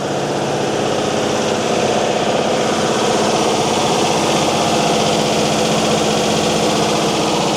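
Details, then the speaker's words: Mercedes-Benz 911 4WD diesel truck idling after sitting about 8–14 years: soft rhythmic puffing chuff on the idle, about four a second; raw-fuel exhaust smell stinging eyes, weeds blowing near exhaust, suspected exhaust leak. "No leaks. That's why if she's got an exhaust leak, you can see the weeds blowing there. That's why it's getting in the eyes of smoke."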